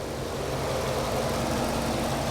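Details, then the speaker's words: Mercedes SL55 AMG, supercharged M113K V8 with Needswings intake manifold, hot after a drive, no fuel leaks, fuel pressure slightly fluctuating: steady, even idle with smooth low rumble, no ticks, misses or hunting; running good. "seems to be running good"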